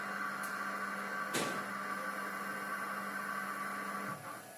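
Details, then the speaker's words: Chinese Yaskawa Sigma-2-type servo on a DIY LinuxCNC machine during PID tuning, under feed: steady whine with a high singing note, dropping away as motion stops; sounds like hunting, cause unconfirmed, following error only about 0.0016 mm. "It's got a bad sound and it's really annoying me."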